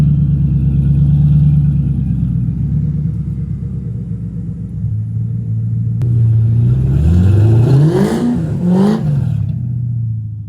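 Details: 2002 Ford Mustang GT V8, LAR X-pipe installed, cats deleted, SLP Loudmouth mufflers, tailpipes unfinished, low idle rpm noted: steady deep idle then clean blips rising and falling smoothly, fairly quiet exhaust; normal idle and rev.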